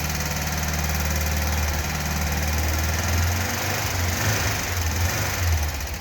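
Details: 1976–77 fuel-injected Volkswagen Beetle convertible air-cooled flat-four, first start after top-end rebuild fixing loose head bolts, seized rings, bad valves and heads, missing cooling tins; steady even idle, no knocks, ticks, misses or smoke, normal.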